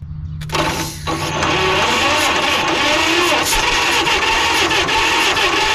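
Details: 1946 John Deere BN tractor, auction find, being test-started: cranks and catches, then runs rough and uneven, sputtering as if choking itself off, with a lot of gasoline coming out the compression valve; flooded carburetor, suggesting a stuck float.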